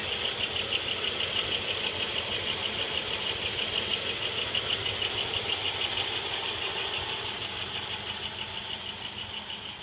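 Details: 1995 Pontiac Bonneville 3.8 L V6 (3800 Series II), 115,000 miles, at idle: sharp regular ticking about three per second; unchanged with serpentine belt removed, compression 180 psi all cylinders, power loss noted alongside; source unidentified.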